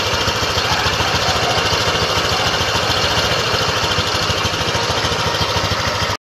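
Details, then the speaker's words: Honda Click V3 2023 scooter at idle: busy, buzzy rattle over a fast steady beat; noticeably noisy idle, cause suspected but not confirmed. "Napakinggan nyo yung ingay ng Honda Click version three twenty twenty-three model."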